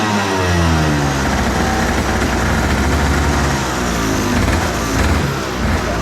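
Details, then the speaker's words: Carbureted go-kart engine, unused about a year, battery charged, started with a little choking: crisp two-stroke note, revs rising and falling cleanly with throttle, no misfire or rattle; normal running. "all right well that works uh yeah i just took a little bit of uh kind of choking the motor and you know it's carbureted so it's a little finicky but thing rips"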